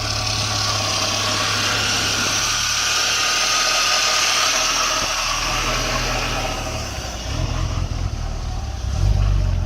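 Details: BMW E46 330ci that would not start after hitting a curb, started after fuses in the fuse box were replaced: engine fires and settles into a steady, even idle with no misses or stumbles; normal start and idle.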